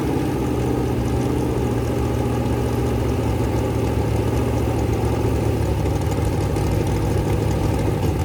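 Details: Rebuilt 426 Gen 2 Hemi crate engine (new heads, intake, pistons) on a run stand, flat-tappet cam break-in at about 2400–2500 rpm, 32° timing, kept under 2,800: even, steady V8 drone, no valvetrain ticking or knocking; normal high idle.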